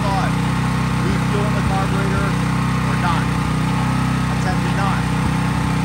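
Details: Craftsman 5000 W generator, used about once a year, running with almost no load, a lamp or drop light at most. Steady, even engine drone at constant speed, no hunting or surging; normal smooth running.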